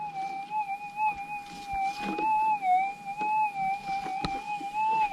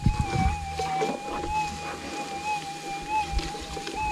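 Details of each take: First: Minelab GPX6000 metal detector, Difficult ground type, sensitivity 9, noisy Warwick ground, small shallow test nugget: warbling threshold with a sharp rising-falling blip each coil sweep, easily heard over steady ground; clear target signal. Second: GPX6000 metal detector in noisy Warwick ground on normal ground type: steady threshold hum with wavering swells and chirps as the coil sweeps; ground noise breaking through, needing a more stable ground setting.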